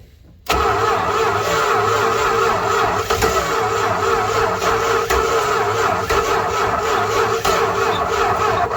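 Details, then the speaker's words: 1968 Dodge Charger V8 after sitting 40 years in and outside a barn, fluid fed into the intake: steady starter churn about nine seconds, never catching; crank-no-start, likely fuel-starved. "we just gotta work some fluid down into the intake see how she'll cough ing almost hit it"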